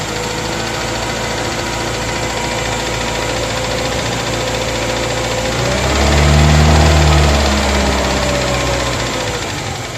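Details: Moskvich 2140 at idle: regular knock about four times a second over the engine, persisting as revs rise briefly. Engine knock, cause unknown.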